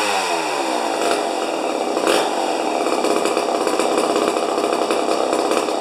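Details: Rebuilt 50-year-old 100cc Homelite XP 1020 chainsaw: shrill two-stroke scream holding far above normal top revs; max about 10,500 rpm versus the 9,000 rpm book limit, idle about 2,500; over-revving, high-speed setting too high.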